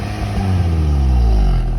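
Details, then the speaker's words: Maruti Swift petrol after repair, part cleaned lightly with sandpaper and refitted: revving now climbs and falls smoothly with no exhaust popping or stumbling. "ഇപ്പോൾ raise ആക്കുമ്പോൾ ആ sound പതന്നുള്ളത് മാറി കേട്ടോ."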